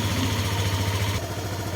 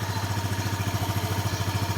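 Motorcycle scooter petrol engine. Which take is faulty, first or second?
first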